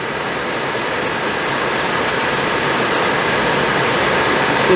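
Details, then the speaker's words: Suburban RV propane furnace, removed from the RV and reassembled after a noise blamed on a suspected failing fan motor, bench-tested: steady, even burner and blower rush with no rubbing or scraping, normal operation. "See if it sounds better. Can't sound any worse, I don't believe. Sounds a lot better."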